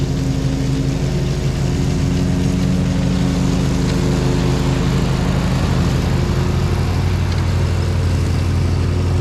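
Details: Gravely ZT60 HD zero-turn mower after swap to used Kawasaki 26 hp V-twin, oil changed, new blades: constant, even drone holding speed with no misses or knocks; normal running.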